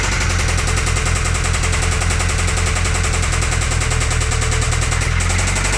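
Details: Toyota 22RE engine at steady idle: a sharp, even knock on every turn over the engine hum that began after the valve cover was reinstalled; cause undetermined, possibly valvetrain contact.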